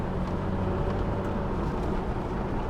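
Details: Toyota Tacoma on its first test drive after interior rebuild and radiator coolant flush: smooth, even engine drone with steady road rumble, no knocks or ticks; no dash lights, temperature gauge midway, running healthy.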